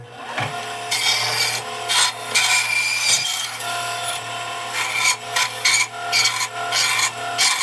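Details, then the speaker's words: Bandsaw after repair, wheel knocked back onto its bearing and running true, belt holding: steady motor hum under a rasping cut through old oak flooring, no slipping or bogging; saw works properly. "all right she works I'm glad I can fix it it'll be good tool to use"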